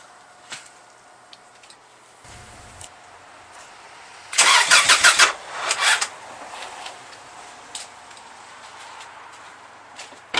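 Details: 1995 Subaru Legacy turbo, first start since August after engine work and turbo relocation: few seconds of quick starter cranking that never catches, smoke from the battery; something likely left unconnected, cause not confirmed.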